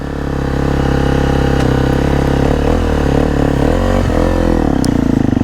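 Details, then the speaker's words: Husqvarna FC250 after fuel pump replacement: starts effortlessly, crisp even single-cylinder idle with clean throttle blips rising and settling smoothly while warming up before a test ride. "oh man fires up so effortlessly let me get her a little warmed up before I roll into her"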